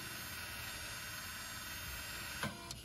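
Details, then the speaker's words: 2015 Lexus NX200T rear electric parking brake actuator, unplugged and fed 12V directly: a thin, steady electric whir for about 2.5 seconds, then a click as it stops; the actuator retracts normally. "all right so right now the motor is working and releasing the cylinder releasing the the piston wait until the motor stops"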